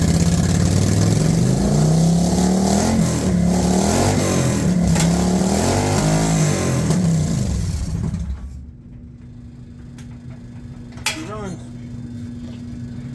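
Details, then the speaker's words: 1999 Kawasaki Vulcan 1500 V-twin after storm submersion, choke held: catches and revs unevenly, pitch rising and falling for eight seconds, then cuts out; running on choke, not yet idling. "Yeah, we're getting a little fuel coming out the bottom. That's a good sign. And try to just hold this choke on here and fire it up."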